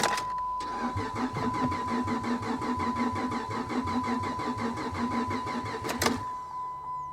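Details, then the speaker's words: Car at a salvage auction, catalytic converters cut off, on a booster pack: even starter chugging about five turns a second for some five seconds, fuel pump heard running constantly; crank, no start. "it almost sounds like it wants to [Music] no"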